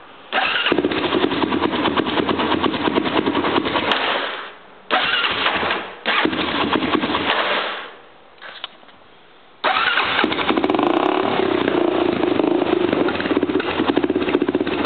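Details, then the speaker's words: 1999 Honda 400EX with likely jetted, cleaned carb, HMF slip-on, new starter, carrier and bearings: engine catches, runs briefly, dies repeatedly at idle, pushing air back through airbox; runs fine on throttle. Stalling, cause unknown. "I'll start it won't stay running but it runs fine whenever you're on the throttle"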